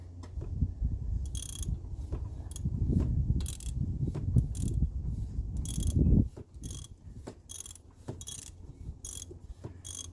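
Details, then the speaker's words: 1989 Chrysler LeBaron GTC, 2.2L Turbo II with 5-speed Getrag, sitting about 17 years: crank turned with a wrench on the alternator bolt gives slow ratcheting clicks with spring-back on compression strokes; the engine is free, not seized. "Yeah, it's turning. Oh, we're in gear. Nope. Building compression. See it springing back like that?"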